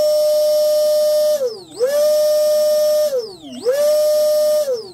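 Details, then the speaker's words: Spektrum 3660 2400KV brushless motor with 90 A ESC in Swifter XL 31.5" RC hydroplane, on the bench during build; clean high whine climbing, holding about a second, then dying away, repeated smoothly; normal brushless motor run. "I tell you what that motor sounds good on with a 90 mpsc I mean it sounds"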